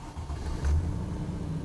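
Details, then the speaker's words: Land Rover Defender 90 50th Anniversary, 4.0 V8 automatic, 87,000 miles, started stone cold: catches quickly and settles into a deep, steady rumble with no hesitation or rough running; clean cold start. "starts beautifully some lights on I think into D and off we go"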